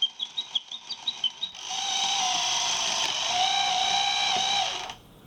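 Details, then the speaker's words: Gakken Otona no Kagaku cuckoo clock kit on two C cells: light ticking about three per second, then a loud steady whistle held three seconds; cuckoo call works normally but is loud. "The biggest issue with it is that it's kind of loud. And we'll find that out in a few seconds when it decides to trigger."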